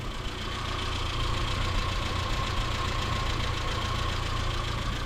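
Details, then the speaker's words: 1977 Datsun B210 just after a new fuel pump was fitted and primed, with a carburetor still being tuned and the choke unresolved. Uneven, lumpy idle pulsing about three to four beats a second; rough idle. "It's a little rough. I don't know why. That carb, still always tuning it."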